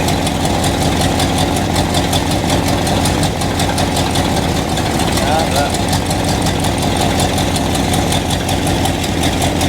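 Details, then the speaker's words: 1976 Chevy or 1964 Chrysler after new spark plugs and two replaced plug wires: uneven, lumpy idle with an irregular stumble in the firing beat, misfiring; owner suspects a vacuum leak from taped-over ports, not confirmed, ran better once plugged. "I just had tape covering these, but it wasn't enough. So, I actually put some plugs on it, and I think we had a vacuum leak."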